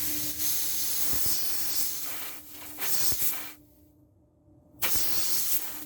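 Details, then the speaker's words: 1998 Dodge Dakota rear air suspension conversion, leveling valve. A sharp, steady hiss whenever supply air is applied; it drops away briefly and returns. The valve is leaking. "he top one's leaking already I probably should have put some Teflon on that I don't know if you guys can hear it"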